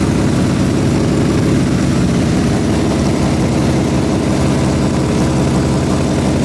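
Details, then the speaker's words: 1972 Honda CB350F four-cylinder, sat 20+ years, big-bored to 400cc, first start after rebuild on choke: loud, lumpy low idle that wavers and never settles, a little smoke; rough idle, owner suspects plug wires wrong. "Kind of sounds like it's out. Like maybe we got the The plug wire's wrong."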